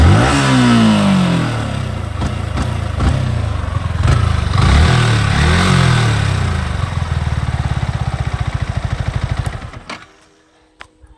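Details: Yamaha R15 V4 at 13,000 km, noise appears once warm: revving single with a loose clattery rattle over the exhaust that speeds up with revs and settles as they drop; the source is unknown.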